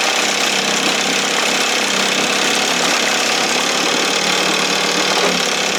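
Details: 1968 Evinrude 6 hp two-stroke outboard, restored, running on the stand just above the timing mark: steady, crisp speed with an even, rattly exhaust note; running healthy.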